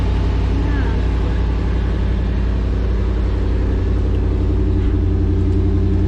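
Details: 1988 truck running on a gas tank taken from a truck that sat over a year, tank drained but some stale gas left causing smoke: steady even run with a regular beat, no knocks or misses, settled after starting.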